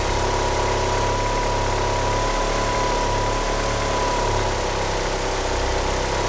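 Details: Car engine with 850cc injectors that cannot rev up, with the power-steering pump belt slipping; the idle drones, but its low beat wobbles and stumbles about every second. Rough idle, cause not yet found.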